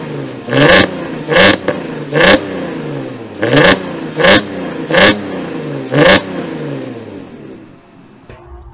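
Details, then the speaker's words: Porsche Cayenne 3.2 V6 (9PA) with ethanol conversion box, startup heard from behind the car: seven crisp throttle blips rising and falling cleanly, then a calm settling idle; V6 revs freely and sounds healthy. "Petit démarrage de la bête, maintenant on va rester derrière pour vous filmer et vous faire entendre tout ça, parce que franchement ça vaut le détour."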